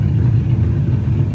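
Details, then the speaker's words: 1969 Chevy C10 with non-original 283 V8, mild cam, Unilite ignition, after timing and carburetor adjustment, earlier stalling: deep, even rumble with steady firing and no knocks or misses; sounds healthy and well tuned. "We've had some trouble with it stalling and stuff, but it sounds good right now."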